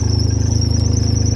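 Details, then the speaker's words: 2012 John Deere Gator 825i, three-cylinder, 5,790 miles, 98 hours, reported no power and won't rev past 4000 rpm; it fires right up and idles evenly with a steady high-pitched squeal, suspected belt or alternator, unconfirmed. "It does fire right up. You can hear it. We got a little squealing from the belt or alternator in the back, something like that."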